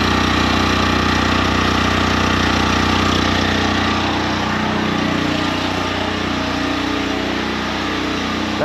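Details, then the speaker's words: 2019 Champion 100812 portable generator revived after sitting about four years, later test with shop lights and tools connected; steady, even engine drone at constant speed, no hunting or misfire, running normally like a generator should. "sounds like a generator. Let's see if it'll turn my stuff on now."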